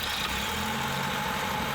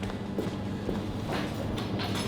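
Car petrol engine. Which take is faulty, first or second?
second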